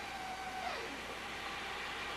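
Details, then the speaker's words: 1997 steam car start, steam pressure around 500: a thin steady squeak of fuel passing through the valve drops into a rising, even hiss as the burner lights normally. "When you hear that fuel going, squeaking going through that valve, and then we heard the burn like it."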